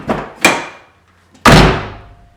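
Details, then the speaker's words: MK3 Toyota Supra door slammed with window partially up: loud glassy clank ringing on, as if the glass is hitting metal inside the door and about to break; window glass clank on door closing. "sounds like the glass is gonna break so we're gonna dig into the window and see what's going on"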